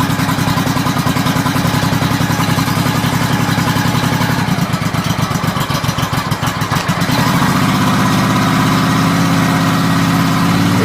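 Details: 1986 Honda Shadow 700 V-twin, cold, after wiring in a dual fuel sensor with the fuel low; a loping idle with a slightly uneven beat as it warms, then a firmer, steadier rhythm after a small rev; normal cold idle.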